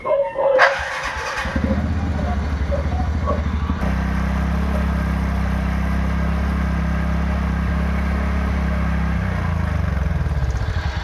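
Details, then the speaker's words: TVS Ntorq 125 scooter after replacing a damaged one-way (starter) clutch bearing with a genuine part: engine catches cleanly and settles into an even, smooth idle with no rattle or grinding. Normal start and idle. "బండిలో అనేది engine అనేది చాలా smooth అయింది."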